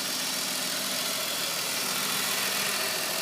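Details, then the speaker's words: BMW 530 idling with an uneven, lumpy beat and steady hiss; rough idle, owner suspects a vacuum leak; removing the oil cap changes it; cause not pinned down. "don't have the Chewbacca sound, but what I do have very rough idle."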